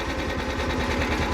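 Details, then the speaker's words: Cub Cadet 1330 Kohler single; throttle turned down to a slow, lumpy idle with steady low thumping and no knock; too slow, so the idle/throttle setting needs adjusting. "okay right there they're slow so this i this needs to be adjusted"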